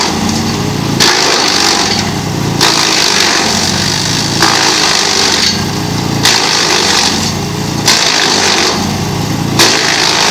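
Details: GreenMech Arborist 130 wood chipper chipping on dull blades: engine holds steady while rough chipping roars in bursts every couple of seconds as wood feeds; slow, labouring cut, reduced productivity but no downtime.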